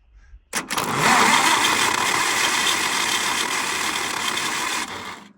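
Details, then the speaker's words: Starter taken off a John Deere, where it already sounded bad, being tried on an Oliver 1250 engine: about four seconds of fast, rough, grating cranking near four turns a second without catching. Worn starter motor. "that starter just sounds like garbage on its own which it did when it was on the John Deere that's why it's off needing attention"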